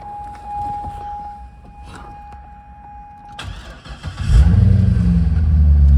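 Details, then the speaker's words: 2008 C6 Corvette 430 hp LS3 V8, 35,274 miles, starts right up: brief crank then strong even low rumble, oil pressure rising to 40 psi; healthy start, no knocks, ticks or leaks. "This engine starts right up. It currently has 35,274 miles on it. Oil pressure coming right up to 40 psi."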